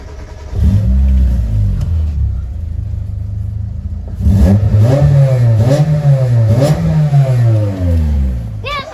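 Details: 1993 Mitsubishi Lancer MR MIVEC starting for the first time in over 15 years, jump-powered without its own battery: idles evenly, then quick blips rise and fall cleanly without stumbling; engine sounds healthy.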